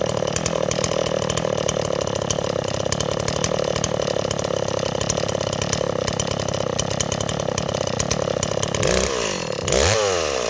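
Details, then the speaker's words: Stihl 026 chainsaw after a small fire, recoil removed and cleaned: steady, slightly burbling idle with a quick blip, running a little rich and loading up on fuel after idling. "okay neighbors our sauce running a little rich but the problem is it Bob's in wood so should we take a walk and find some wood to cut neighbors"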